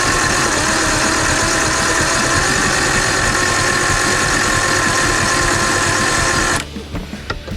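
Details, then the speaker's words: Circa 1989 Evinrude 150hp two-stroke outboard, hard-start complaint, after cleaning rusted battery terminals: steady even churning about four turns a second, slow and labored, improved but still weak cranking; solenoid issue suspected. "um it's better still weaker I kind of think feel like it's like got a solenoid you know issue probably needs a stronger solenoid"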